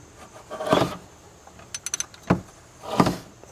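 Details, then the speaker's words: 2005 GMC 6.0 V8, 200k miles, heavy tick turned to grinding; oil pan off, crank turned by hand with a ratchet; rough scraping grinds each sweep plus light ticks; crankshaft problem suspected, not confirmed. "We can put the ratchet on it. Give it a spin. And if we still get that grinding noise, well, I'm going to be really just the happiest I've ever been."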